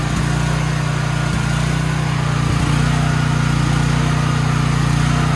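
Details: Troy-Bilt XP generator fired up during service with the fuel valve on. The small engine runs steady and even at constant speed, a deep low drone with no misses, knocks or surging; sounds healthy.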